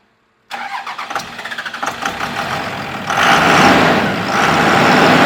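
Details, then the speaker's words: 2001 Dodge Cummins 24-valve with VP44 pump: diesel cranks, catches and settles to a rough idle with a thin squeak over it from a slipping serpentine belt. "All right, I'm tired of hearing. I am tired of hearing the belt squeak on this."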